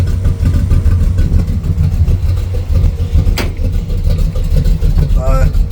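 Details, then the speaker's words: Carburetor (a 600 built for a Ford truck) test-run on a carbureted V8 car that normally idles at 950 to 1,000 rpm, idle set way down to 500 rpm: deep, lumpy, uneven idle with slow beats, sounding pitiful. "this car usually idles at about 950 to 1,000. I got it idled way way down. It's idle at 500."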